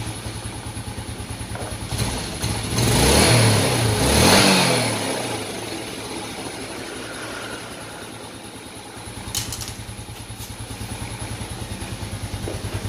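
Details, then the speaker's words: Yamaha Vega Force that was hard to start and heavy on consumption, after replacing leaking valve stem seals restored compression; starts, revs briefly, then settles into a steady even putter at about three beats a second, idling normally again. "nah oke teman-teman setelah dicoba untuk menghidupkan tadi Itu motornya sudah normal lagi"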